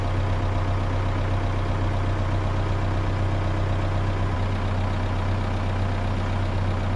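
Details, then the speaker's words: Komatsu PC130-6 excavator diesel idling after fuel tank replacement, refuel and hand-pump priming: smooth, even low idle with a steady beat and no misses, knocks or hunting; it is purring, running as it should. "It is purring. This is what it's supposed to sound like."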